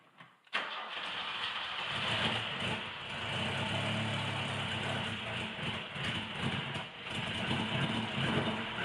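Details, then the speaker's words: 1976 Alfa Romeo Spider, twin carburettors, cold start: neutral, full choke, slight throttle lock, clutch in, 4-5 accelerator pumps after fuel pump pressure builds; quick crank, fires almost at once into lumpy busy cold idle; normal typical Alfa cold start. "No gas until we hear it light. Typical Alfa cold start."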